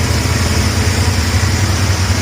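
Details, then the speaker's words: GY6 50cc scooter after replacing a broken exhaust stud: a lot quieter, better than open exhaust, idling low and even with a soft steady exhaust beat, no ticking or rattles; healthy. "A lot quieter now. It's better than open exhaust. I should idle down here in a sec."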